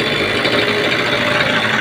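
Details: 30-year-old TVS Scooty ES model idling after a starting problem was fixed and the spark plug refitted, air filter box not yet refitted, self-starter and battery faulty; steady even small single-cylinder buzz, no sputter or surging; normal clean idle.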